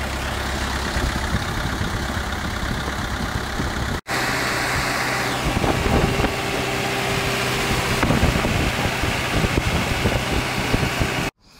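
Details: CAT/Perkins 3054C diesel on a wood chipper, unrun three years, idling after cold start following filter, fluid and corroded battery cable replacement, later found a couple of quarts low on oil: rough rattle settling to a steady idle with brief dropouts; runs evenly, normal.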